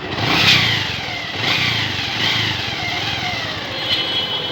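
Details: Bajaj Avenger 180 single-cylinder blipped outdoors at a mechanic's after misfiring, suspected spark plug issue; revs climb and fall cleanly with no stumble or popping after repair with spark plug replaced, running properly.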